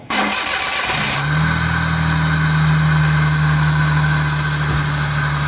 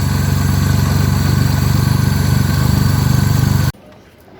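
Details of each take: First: Car starting during a throttle body cleaning for low pickup and an RPM that surges up and down: a steady, slightly uneven idle for about twelve seconds, then the engine dies abruptly. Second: Three-cylinder petrol car idling after throttle body cleaning with spray cleaner to remove carbon that caused low, erratic RPM and weak pickup: steady, even low pulse, no hunting or misfire, then switched off cleanly; healthy idle.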